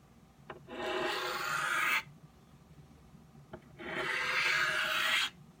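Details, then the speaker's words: Knife on a 12 in Norton India/Crystolon three-sided bench stone, correct angle and light pressure: two even, smooth rasping strokes about a second each, steady hiss without skipping or chatter, edge nearly finished. "once I've got my angle right now the pressure I'm using here I'm using light pressure"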